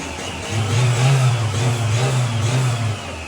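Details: Isuzu D-Max 1.9 diesel, previously smoking black, sluggish, fuel-hungry with hesitant throttle, after intake cleaning, catalytic pipe replacement and EGR blanking: revs into a clean, steady blip, holds, settles without stumbling or knocking; normal free rev.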